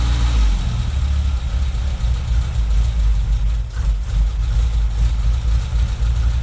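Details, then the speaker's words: Toyota Tercel wagon with swapped 4A engine and carburettor, just after fitting a Schneider Racing regrind cam: deep, slightly uneven idle with a loping exhaust chop, a healthy engine with a lumpy aftermarket cam. "Jerry it chops better than my truck what the hell pretty freaking s it's ridiculous it's absolutely insane"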